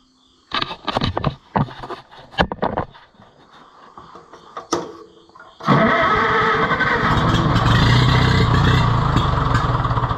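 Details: Oliver 66 tractor being revived: several ragged cranking bursts with pauses, then the engine fires and runs roughly at idle, struggling to stay running; oiling looks insufficient to the owner.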